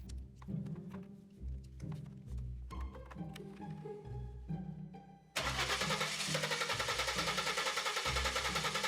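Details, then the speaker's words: VW Passat wagon cranks rhythmically with no catch; it had a few sputters and no fault codes. Air, fuel and spark confirmed, and the timing belt looks fine. Suspects: crankshaft position sensor, timing fault, ECM or other mechanical failure. "Well, this is not good. We have air, fuel, and spark, but no start."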